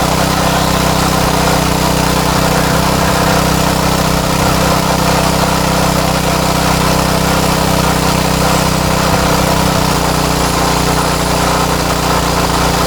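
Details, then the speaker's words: Craftsman tiller with Tecumseh Eager-1 engine after repair, no tachometer used. Steady, fast, even drone with no hunting or misfire; the low speed sounds too high and needs adjusting: high idle speed. "but the low speed sounds a little high so I'm going to set the low speed the high speed I don't mind the sound of but the low speed sounds a little high"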